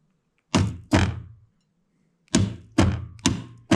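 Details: Husqvarna iZ5223 zero-turn mower with a Kohler CV23S engine; a PTO clutch, powered directly from the battery, gives sharp hollow clunks, two then four, engaging roughly and unevenly.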